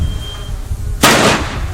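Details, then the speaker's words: Fire-suppression ball extinguisher in a side-by-side burn demonstration, with a smoke detector sounding: alarm tone fades, then one sharp loud bang with a hissing tail as the ball bursts and deploys quickly, within about 15 seconds. "That's the fire ball that just deployed. It deployed rather quickly."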